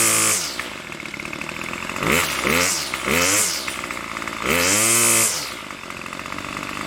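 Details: Craftsman gas trimmer model 316.791191, MTD 27cc two-stroke, Zama carburetor, after rebuild: buzzy idle, clean revving through quick blips to about 2700 rpm range, smooth return without hesitation. Normal running.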